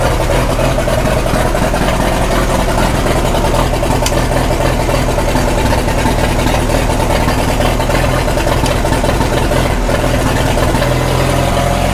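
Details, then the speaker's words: 1936 Caterpillar Twenty-Two tractor on gasoline, first run after sitting for years and after its magneto was not sparking: a steady, even low chug at slowest low-throttle idle with no knocks or misses, and 35 PSI oil pressure. Normal idle. "actually doesn't sound too bad. Yeah. Now we're running 35 PSI oil. That's good."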